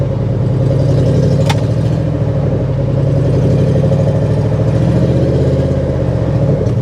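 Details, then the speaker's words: 1982 Chevy Camaro Crossfire V8 with 134,000 miles, given a light throttle blip: a smooth burble rises and falls back cleanly with no ticks or knocks. It sounds healthy. "she sounds healthy"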